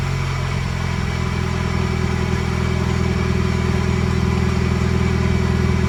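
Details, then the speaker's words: Muffler-deleted Toyota Echo at cold idle: loud droning with a steady beat about two and a half per second and a tinny rattle over it; exhaust rattles insanely, like a cracked flywheel ring gear, heard under the front quarter panel. "as you could have probably very clearly heard the muffler rattles insanely i it's it's annoying it sounds like the ring gear on the flywheel is like cracked in half and so loud"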